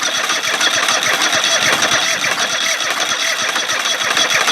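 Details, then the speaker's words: Craftsman GT5000 lawn tractor during a woodruff key replacement, running on the left bank only: rapid, uneven ticking and sputtering while cranking that never settles into running; the left bank seems overly rich, and the coil pack is suspected of firing at the wrong time. "say that R not it doesn't happen all the time and it's not running well enough to keep"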